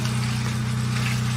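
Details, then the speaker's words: Generator powering a septic pump control box as the float lifts: steady low engine drone that dips then holds firm as the pump load comes on, water level dropping; generator carrying the load normally. "I hear the generator come down and the water level's dropping."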